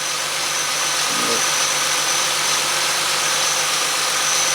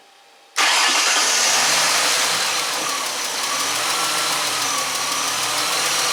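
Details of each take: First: 2005 Ford Mustang 4.0 L idling after repairing bad cam sensor connector (had misfire, rough idle, P0340/P1336): steady idle under heavy hiss, no stumble or skip; crank and cam signals now clean, fixed. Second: 2005 Ford Mustang 4.0L with P0340 and P1336, rough idle and intermittent no-start: cranks, catches and idles with a stumble and sag as the cam sensor signal spikes; the fix was replacing a bad CMP sensor connector.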